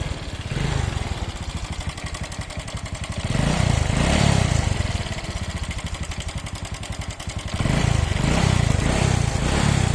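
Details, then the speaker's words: Honda Wave 125 / Dream 125 single-cylinder engine at idle: fast, loud clacking rattle around four per second, sounding like the engine is breaking; cam chain tensioner rattle, a common fault on this 125 engine. "อ่าเสียงเครื่องเค้านะครับจะมีอาการดังแก๊กๆๆแบบเนี้ยครับเสียงเหมือนเครื่องจะพังอ่ะนะครับ"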